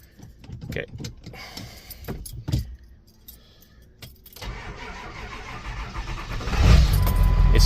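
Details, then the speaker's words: Ford Super Duty with 411,372 miles, during a loose-shifter fix (it wouldn't start before because it didn't detect park): the starter turns slowly for a couple of seconds before the engine catches. "411,372.6 miles. It's slow cranking."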